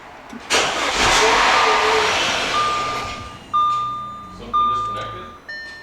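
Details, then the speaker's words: Audi Allroad, 253k miles, first start after timing chain replacement: loud airy rush then steady whistling hiss over idle from intercooler pipes left disconnected; vacuum leak. "you you spot on with the boo like sounds like a vacuum leak yeah it has a minor vacuum leak here oh here's one hang on oh there's two here's the other one that's my bad we were so focused on timing stuff I undid the intercooler stuff duck did not so that's on me"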